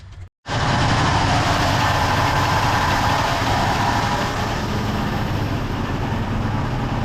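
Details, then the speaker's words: 1972 Ford F100 FE 360 V8 after replacing clogged inline fuel filter (Wix 33003) and tapping carb top to free sticking needle and seat; quick start, steady even idle with no stumble, knock or miss — normal idle after fix. "this was clogged up that was all it was didn't even have to pull the carburetor apart or anything I think the needle and seat were getting stuck a little bit dude that sounds awesome"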